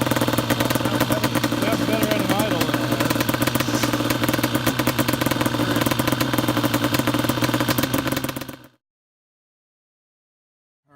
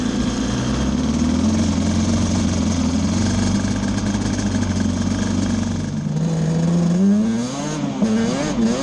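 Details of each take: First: Banshee twin two-stroke ATV idles with an uneven, stumbling beat; misfire from the carburetor needle clip left in the wrong position after fitting smaller main jets for winter, after plug caps and coil ruled out, compression near 150 psi. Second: Yamaha Banshee two-stroke twin ATV after carb needles were moved back to the middle position: steady buzzing drone, then clean revs with no stumbling; misfire gone, it was running lean on a cool night.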